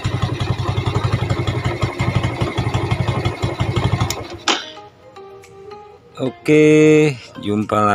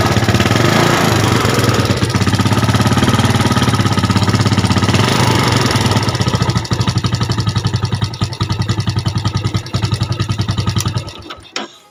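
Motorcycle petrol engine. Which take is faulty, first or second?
second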